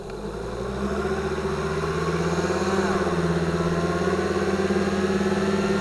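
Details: 2005 Volvo XC90 2.5T AWD, microphones beneath the car, pulling away from a stop: steady gear whine over the engine climbing in pitch, appearing near 2000 rpm as 2nd gear engages; cause not confirmed.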